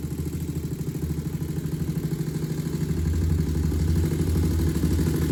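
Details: 2001 Honda TRX400 after a valve adjustment to spec, with a small tick reported: single cylinder thumps evenly at idle, and a throttle blip rises smoothly; steady beat, no knocking, healthy.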